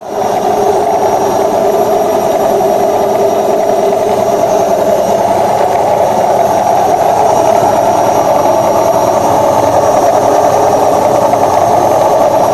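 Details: Washing machine during spin: loud steady roar that swells with no clean rhythm; cause is the worn tub (drum) bearing, fixed by replacing both bearings and the oil seal.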